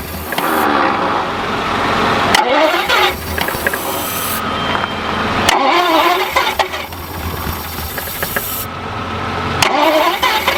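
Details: Barn-find Jaguar/Daimler Mk2 hemi-style 2.5 litre V8, previously seized, running on fuel poured in: rough, uneven running with repeated heavy knocks through revs and restarts; suspected seized gudgeon pin or piston knocking in bores, unconfirmed.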